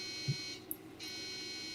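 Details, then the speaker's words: Machine at power-on: harsh electronic buzzer, unlike a typical bad-RAM beep code, sounds for a while, then stops and the machine boots fine; owner thinks it signals something bad, cause unclear. "buzzer that means your pizza is ready yeah but it's funny it'll be for a while and then it stops and it boots fine"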